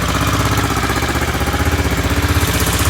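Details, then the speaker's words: Aprilia Pegaso Cube single-cylinder after carb inlet rubber replacement and ultrasonic carb cleaning, warming up, choke then off: steady even thump about four beats a second; idle sounds clean and healthy. "certainly sounds okay to me um B are getting hot are getting hot so it sounds pretty good sounds like it runs as it"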